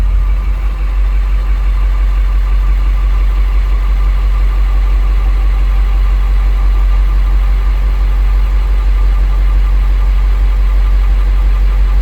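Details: 2000 International 4700 low-mileage automatic truck with a no-start from a lost ground, now running with the ground temporarily jumpered: a deep, steady diesel idle with an even low throb and no misfire or stumble.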